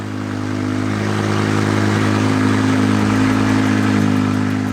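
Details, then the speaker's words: BMW E60 M5 V10 after an SMG pump service: seals replaced, pump motor and accumulator refitted, gear adaptation now passing and no transmission faults. It starts and idles strong, even and smooth with a steady low hum, no misses or knocks. "Sexy, let's leave it like that. That sounded so good. So good."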